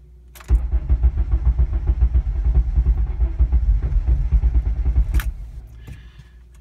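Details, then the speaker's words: Civic tuned for E85, cold start after sitting about 12 hours with the fuel pump primed: steady starter churning at about two pulses a second for nearly five seconds with no catch; it usually takes about two cranks to start. "so the first crank is going to be difficult you might have to do it two or three times"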